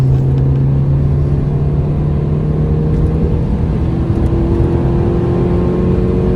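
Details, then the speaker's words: £200 trade-in Mini Cooper on its test drive, given a few revs on the road; smooth even engine note climbing cleanly over light road noise, no knocks or misses, steering and suspension also fine: normal engine revving. "Seems good so far. Seems a bargain at the price."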